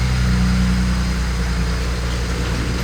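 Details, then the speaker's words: BMW E91 335i, start of its newly fitted replacement N54 engine after a fix to stop flywheel grinding; deep steady even idle with no knocks, misses or rattles; runs smoothly and healthy. "So, let's give this another try. That sounds [ __ ] mint, man. Oh my god."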